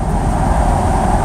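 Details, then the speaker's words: El Camino with a 4-barrel carburetor, after a clutch replacement, under hard acceleration: a deep, steady roar with no flare or drop in pitch as the 4-barrel kicks in. The clutch now holds where it previously slipped; normal acceleration. "Because now that I got the clutch in here, I can you can hear the 4-barrel kick in. And before, if I did that, the clutch would slip."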